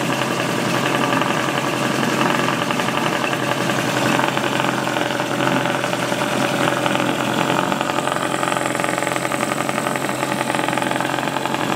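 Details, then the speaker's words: Small two-stroke outboard revived after sitting many years, with new plugs and the cover off. A steady, even buzz holds speed without misses or surges and is clearing up: normal running. "I don't think the cover will make too much of a difference going on it. Sounds like it's starting to clear up."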